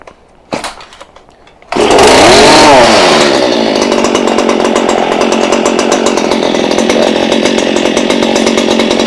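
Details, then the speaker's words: Stihl hedge trimmer that had been bogging, now repaired. The bogging came from poor fuel, the plug and the spark arrestor. It fires after a couple of pulls, climbs to a high buzz and holds a steady, even speed with no bogging: normal running. "Oh, that sounds happy. So we have now fixed it. It is a good running machine now."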